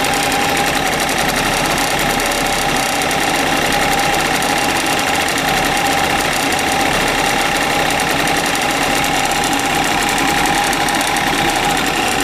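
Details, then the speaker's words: Suzuki Address 110 scooter idling warm with a fast metallic rattle appearing about 10 seconds after start; crankshaft 11,373 km, piston kit 6,392 km; owner suspects piston or wrist pin, source uncertain. "неприятный такой стол такой как 33 такой неприятный когда только завел этого звука не было потом через 10 секунд этот 12 там слышно можно что такой неприятный звук пас посторонние такого не должно быть у двигателя"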